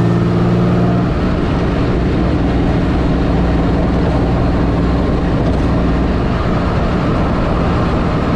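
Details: 1984 Fiero wide body with 3800 V6 swap, under way after reused header gaskets were replaced and a V-band clamp added: deep, steady engine drone, no ticking or puffing from the manifold; the exhaust sounds sealed and healthy.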